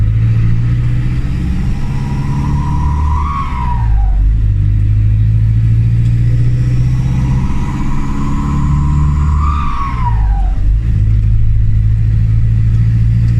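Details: Turbocharged camper van that began making a very loud noise while driving: deep loud roar swells as it pulls away and accelerates, whistle rising and falling each gear; exhaust leak under load.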